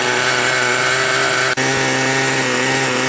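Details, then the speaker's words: Raptor 30 RC helicopter with gasoline engine, warm day, owner suspects blown clutch: fast steady buzzing idle around 170–180, idle set a little high and not settling down; jets being adjusted. "It's running about 170, 180, and that's just idling. I got it idling a little high"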